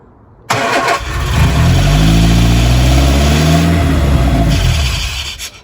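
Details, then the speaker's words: Lotus Elan cold start after a week unused, on a damp morning, using choke and easy start: about five seconds of cranking with uneven sound that never settles into an idle. Owner suspects fuel bleeding back from the lines and is considering an electric fuel pump; no start. "Yeah, I think it's definitely the fuel. Maybe I need to think about getting electric fuel pump. I know this is a common problem with these engines."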